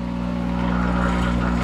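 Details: Monarch 10EE lathe, thyratron drive, warmed up after sitting a month, spindle in reverse at 200 RPM, loaded by hand: steady electrical hum and growl holding pitch as speed compensation adds armature power; normal.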